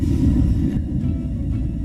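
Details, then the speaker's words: Propane water heater burner in a caravan being converted for year-round living, lit outdoors in wind: heavy, low, steady roar loud from ignition with some spitting; owner wonders why it is so loud, cause unclear. "Et je mets ça on. T'as entendu le décollage? Pourquoi c'est fort de même?"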